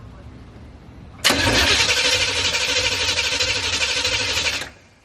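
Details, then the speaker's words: Corvette after new platinum spark plugs gapped to .045, plus fuel dampener and EGR valve work: starter grinds the engine over steadily for about three and a half seconds but never fires; crank no start, owner suspects fouled plugs. "all right so we still couldn't get the car to start for some reason which it does indicate that they had a foul part plugs"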